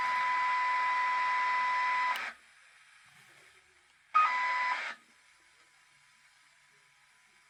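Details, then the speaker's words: 1979 Ford AM car radio (Mustang) with substitute IF transformer, output measured across the speaker: steady test tone cuts off abruptly, then a short burst, with dull hiss between; IF bandwidth set too narrow. "Damn, that is narrow. That might be too narrow. Why is it hard cut off like that? That sounds really really narrow."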